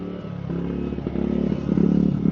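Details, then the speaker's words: Generator charging through a replacement Sungold 3000W inverter charger, with the charge current cut to 10 amps after overload faults. A steady low drone with faint clatter firms up and grows louder as the charging load comes on. Running stable under load. "Okay, we're plugged in. Okay, it seems to be seems to be running stable now."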